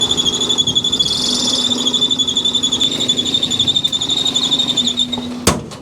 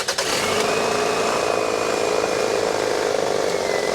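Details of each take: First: 2001 Toyota Camry 2.2L 4-cylinder at idle: loud, steady high-pitched belt squeal pulsing slightly with the pulley's wobble. The cause is a failed, visibly wobbling harmonic balancer (crank pulley); the fix is balancer replacement. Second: 2001 Toyota Camry 2.2L petrol engine idles after the wobbly harmonic balancer (crankshaft pulley) was replaced and belts aligned; a steady, even hum with the belt squeal gone.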